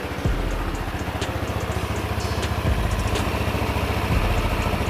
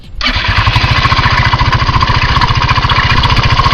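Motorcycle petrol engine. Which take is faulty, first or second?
second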